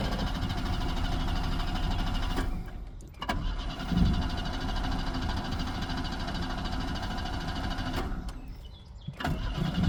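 Two long cranking spells with a pause between, the starter churning steadily but the engine never catches and runs: a crank, no-start condition.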